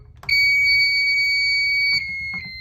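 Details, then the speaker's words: NetworX NX-148E LCD alarm keypad button beep before adjustment: one sharp high-pitched beep about 1.5 seconds, piercing and loud; keypad beep volume set too loud, lowered via *0, up/down and pound. "So in my case, the buttons are very loud. You can hear it and can cause disturbances when you're trying to turn off an alarm in the morning or something like that."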